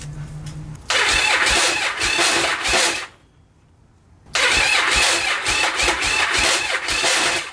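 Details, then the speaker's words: Abandoned Yamaha Virago XV1100, start attempt with a little choke: two cranking bursts with a harsh metallic grind over the starter whir, engine never catches; the starter gears are grinding instead of meshing. "And that is the gears grinding."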